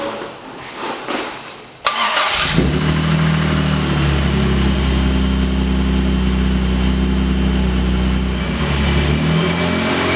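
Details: Series II E-Type Jaguar after engine and gearbox rebuild, first start on running-in oil: brief cranking, then catches and settles into a steady, even idle with a smooth low rumble and no knocks.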